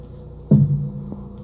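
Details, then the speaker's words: Lada Priora, right front: single hollow thunk with ringing tail when turning the wheel at standstill or low speed, persisting after strut mount and bearing replaced; owner suspects spring slipping off mount bearing or cup; unconfirmed. "покатался немного появился очень очень неприятный стук сейчас я вам попробую продемонстрировать я думаю камера может запишет я думаю скорее всего это не опора это что-то вроде пружина соскакивает с опорного подшипника либо со стакана"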